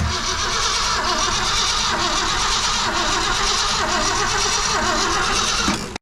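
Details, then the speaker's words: 1966 Ford Fairlane 390 FE V8, first start attempt after about 20 years: about six seconds of steady, quick cranking that never catches because no fuel reaches the carburetor; it later ran only on a steady stream of gasoline. "Come on, baby. Oh, man, she's so close. She's so close."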